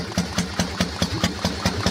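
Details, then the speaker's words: Harley-Davidson Panhead, warming up, distributor with advance: lumpy idle with a crisp tap about five times a second in step with firing, the carburetor slide smashing up and down on the SU carburetor. "the actual tapping you can hear there it's a slide in the carburetor smashing up and down on the su"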